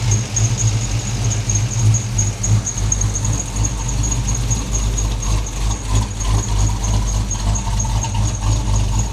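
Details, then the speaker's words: Petrol engine near 220 on the temperature gauge, idling smoothly with no pinging after a disconnected MAP sensor (running rich) was reconnected; knock and exhaust smoke gone, faint squeal from a coolant-soaked belt. "Seems to be running pretty good right now."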